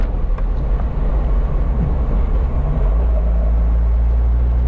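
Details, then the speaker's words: 1978 Alfa Romeo GTV 2000 driven over a bump: only smooth road rumble, no rattles or clunks; body and suspension are quiet and tight. "Here comes our next bump. I'll be quiet here so you can hear how nice and tight this car is."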